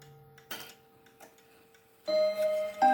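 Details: October 1950 Seth Thomas Northbury 1W mahogany mantel clock, No. 124 movement, heard from the front: a soft steady tick, then clear bell-like Westminster chime notes ring out cleanly, not overpowering; movement running and striking properly.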